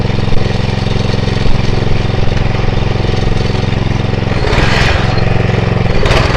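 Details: Atco Royale B24E cylinder mower single-cylinder engine, before carb clean: steady beat, then surges and sags as load comes on; hunting, cutting in and out from a dirty carburettor.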